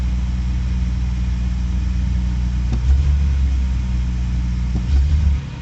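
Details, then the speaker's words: 2000 Jaguar XJ12 idles steadily, then stumbles with dips and surges, dropping after starting around 1100 when it should sit at 750 rpm; it backfires and won't take throttle, and the owner suspects the idle control valve but is unsure. "now I can hear it start to mess again and then it'll drop uh there it goes start to drop and it should be at 7 50. so there's something wrong in there I don't know if it's a idle control valve or what's going on"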